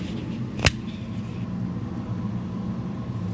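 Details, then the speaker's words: Engine idling: thin high squeak chirping about twice a second over low rumble, from worn alternator brushes; an alternator brush rebuild is planned as the fix. "You know, it's a funny squeaky sound."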